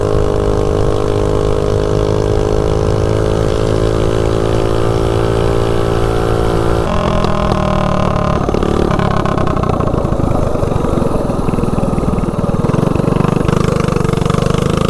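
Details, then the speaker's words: DuroMax 208 mini bike with VM22 Mikuni carb and 115 main jet, riding at top speed, topped out: hard steady buzz, pitch holding flat then shifting as it rolls off; clean, snappy full-throttle running. "definitely nice and snappy with this gear ratio so it seems like it runs pretty decent with a 115 Main"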